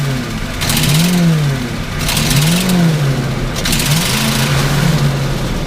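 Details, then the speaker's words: Engine with new spark plugs and wires, stationary: floored suddenly from idle, revs surge and sag unevenly with spitting bursts; stumbles while throttle held down, owner suspects faulty sensor, unconfirmed. "long as the throttle remains to the floor that's what it does but it has to be done suddenly so I'm thinking somewhere of a sensor there is messing up"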